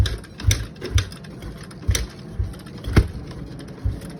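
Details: Kawasaki KX250F no-start with fuel, air and spark confirmed: repeated kick strokes, each a dull thump with a short mechanical clatter. The engine never catches; it kicks over but won't fire.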